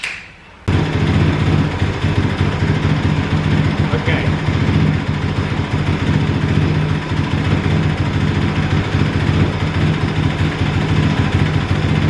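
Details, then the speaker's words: Kawasaki KLX 450R, warmed up, idle screw down one turn, fuel screw out to two turns, throttle tube adjusted: loud fast single-cylinder patter hangs at high idle after blip. High idle hang after throttle blip. "so we've got the uh throttle tube adjusted but um if you blip the throttle it still hangs the idle very high so i'm gonna give it a little bit more fuel see what it does"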